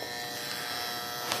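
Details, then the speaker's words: Monster Cable HTS 1000 8-outlet surge protector, about five years old, plugged into a 110 V outlet: loud, constant electrical hum that persisted after unplugging and replugging. "there's the hum that's very loud this here is the switch that uh controls the eight Outlets"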